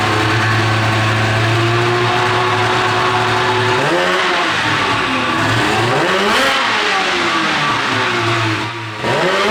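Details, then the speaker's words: Thirteen-year-old race snowmobile two-stroke after clearing debris from the fuel line; revs rise and fall sluggishly, slightly better once warm but still not snappy; bog on acceleration, owner suspects a sticking power valve. "it's better it seems to be a little better once it heats up it's still not freaking snappy snappy cuz these things rip"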